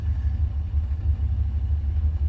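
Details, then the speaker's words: 1972 Rover 3500 P6, 3.5 litre aluminium V8 after 6–10 years sitting, warm at 85 on gauge, choke off: deep even burble, steady idle with no misses or knocks, good oil pressure, thermostat open; healthy. "Absolutely beautiful sounding V8."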